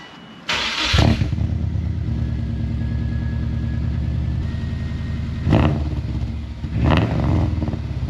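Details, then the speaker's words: Subaru first start after a Flashark unequal-length header install, which cured an exhaust leak: it cranks, catches and settles into a deep, lumpy unequal-length burble with two throttle blips; normal start-up and idle. "So, already, as you can hear, the car definitely sounds a lot better than when we started. Now, we've got that unequal length rumble, and we also don't have an exhaust leak anymore."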